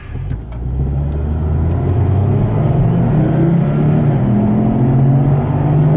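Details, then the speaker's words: Front driver's-side wheel bearing on a car, heard driving toward about 80 km/h (50 mph): a loud, low droning hum climbs in pitch as speed rises. The owner first blamed the tires; the bearing was confirmed by jacking up and spinning the wheel. "It's quite loud."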